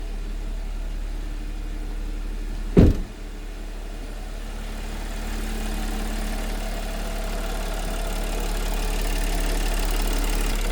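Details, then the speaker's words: 2013 Audi Q7 3.0T supercharged, first start after misfire and oil-coolant mixing repair: smooth even idle, no warnings or errors, some vibration (possibly engine mounts) but not misfire-like; no exhaust smoke; healthy idle. "smooth no warnings no errors iding down I think this thing might need some engine Ms there's some vibration but it's not like a misfire type of vibration"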